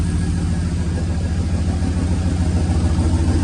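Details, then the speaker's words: 1937 Nash coupe, 6.0 Vortec V8, new 58 lb/hr injectors, idle 700–800 rpm: heavy, low rumble pulsing unevenly with shaking. One bank is not running and is passing raw fuel, so it runs rich. "but it still seems to have a vibration to it maybe that's just what I'm going to have to live with"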